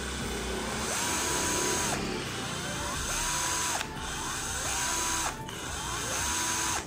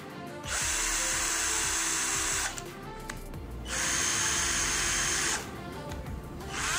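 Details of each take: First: Sunc S12 12 V cordless drill: four trigger pulls with the motor whine climbing smoothly and clean spin-downs. The trigger and variable speed are fine; only the speed selector sticks. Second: Sunc S12 12 V cordless drill, battery fitted: high whirring in short bursts with a rough, gritty edge. The speed selector catches between gears, causing a rough gear noise.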